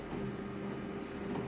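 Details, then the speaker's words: Copier just before pressing start: a steady low-pitched squeak runs through the whole clip; cause unclear. "squeak I can hear that low pitch squeak just before I hit the start button"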